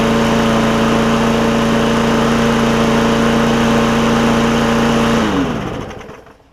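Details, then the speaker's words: Bolens push mower, bought 2019, Briggs OHV single-cylinder, after valve adjustment for a hard-to-pull starter rope and cleanup: steady even drone with no misses or ticking for about five seconds, then clean wind-down at shutoff; runs healthy. "So running good and ready to roll on to the next person, I suppose."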